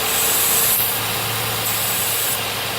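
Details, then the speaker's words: 2011 Nissan Maxima with code P0171 and high idle around 1,100 rpm in park; loud steady airy hiss at idle changes when a small leaking intake-manifold hose is covered by hand; vacuum leak. "when I was driving I could hear excessive air from this side of the engine and I knew that that's all because I've heard that noise before"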